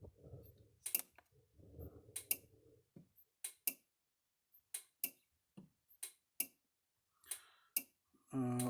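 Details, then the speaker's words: Gallagher MR2500/MR5000 electric fence energizer after repair, just plugged in and switched on: sharp dry clicks about once per second, evenly spaced; normal pulsing. "plug it in damn it turn it on clicking right along there like it's supposed to"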